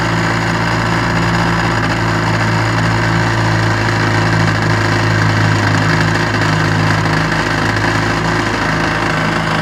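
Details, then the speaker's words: Restored 1956 Johnson 7.5 hp outboard on a 14-foot boat, lake test run: steady, busy two-stroke buzz holding an even note with no misses or knocks; normal running. "we're gonna go for a lake test run on restore number 76 1956 7.5 horsepower johnson let's see what you can do"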